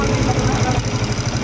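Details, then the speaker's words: Honda TMX155 CDI single-cylinder motorcycle at idle: rapid, even ticking over the low thump from the valve train; worn camshaft and cam followers, fixed by replacing timing gear, camshaft, cam follower and cam follower shaft. "Bali, maingay po yung bandang part na ito mga brothers. Ngayon, ang gagawin natin dito, papalitan natin ng timing gear, camshaft, cam follower at saka cam follower shaft."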